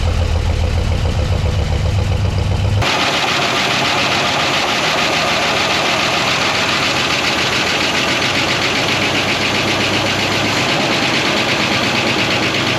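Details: 1969 Buick Wildcat, parked in a barn lean-to since 1998 (26 years), idling just after its first cold revival: steady idle with a light, fast valvetrain tick but no deep knock; engine sounds good, lifters noisy from sitting.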